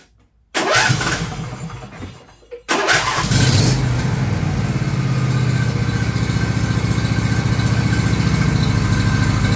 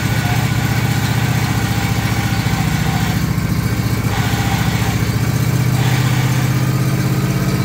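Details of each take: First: John Deere LA135 lawn tractor after finding the noisy bearing that made noise when the clutch was let out: engine fires after a short crank and runs evenly with no squeal or rumble from the belt pulleys. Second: John Deere LA135 lawn tractor, clutch let out so the idler tensions the belt: steady single-cylinder drone with a rough rumbling undertone; worn idler pulley bearings under the body between deck and body, to be replaced.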